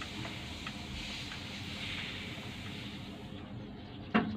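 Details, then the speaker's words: Mitsubishi L300 diesel, key turned to ON before cranking: quiet hiss, then one crisp glow plug relay click near four seconds from behind the driver's seat, meaning the glow plugs are hot and ready to crank; preheat complete. "nah ini tunggu sampai ada bunyi tuk Nah itu tadi kalau sudah bunyi itu tandanya ee relay relay untuk busi pemanas atau blok plaknya itu sudah e memutus"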